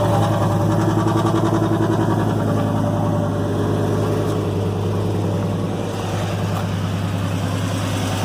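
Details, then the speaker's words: Truck with 190 on the odometer, cold start: loud exhaust and uneven, stumbling beat three or four times a second; engine misfire at idle, intake tube visibly shaking. "Okay, immediately you can hear the miss. You can hear the loud exhaust."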